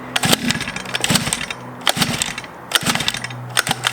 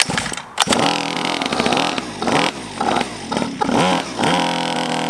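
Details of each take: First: Cheap Chinese 50cc pocket bike with pull start, spark confirmed and choke found: repeated cord pulls each give only a brief sputter that dies at once, so it catches but won't keep running. Cause unconfirmed. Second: Chinese 50cc two-stroke pocket bike, just revived: crackles into life and holds a raspy, uneven idle, rising briefly with light throttle blips; it runs.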